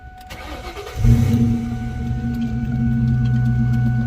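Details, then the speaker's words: 2000 Mustang GT abandoned in a parking lot, freshly installed transmission: brief crank, then fires right up into a loud steady idle through open exhaust; normal start, though something underneath sounds not right. "I didn't expect it to fire right up like that but I knew that that it was going to fire up"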